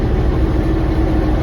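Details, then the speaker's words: Massey Ferguson 1105 tractor with turbo Perkins diesel, abandoned project just started via push button: low even diesel clatter with steady beat, no misses or knocks; smooth normal idle. "Guys, listen to that little Turbo Perkins just purred like a kitten there. That has got to be one of the smoothest running, I don't know, she just runs good."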